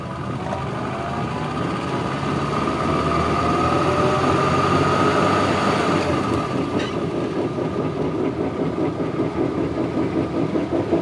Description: Classic Mini making a very irritating knocking/whining sound constantly!